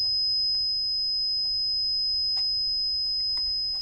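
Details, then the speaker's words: Meta SR2C 12 V reverse parking sensor bench-tested indoors after its sensitivity was turned down: a steady, piercing high-pitched beep continues without a break. Likely set off by the small room; cause not confirmed. "Yeah. Still a bit beep. Oh yeah. Yeah, it does work. I think it just doesn't want to work inside the small confines of the back office."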